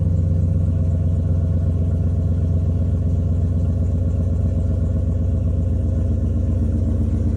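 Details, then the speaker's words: 2003 Chevy Silverado 6.0L V8 just started after a TPS/throttle body fix and throttle body coolant bypass mod: steady, even idle with a smooth low rumble and no knocks or misses; check engine light cleared, normal idle. "It's fine. Check engine light went away."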